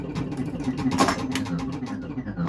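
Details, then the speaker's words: Bally Frontier pinball machine, restored and finished, during playtesting: a jiggle of the cabinet sets the loose backbox prop rod banging on the cabinet side, giving sharp, irregular metallic bangs like an old-school shaker motor. "my prop rod is like banging on the side of the cabinet, making for a fun sound effect. It's like a old school shaker motor almost."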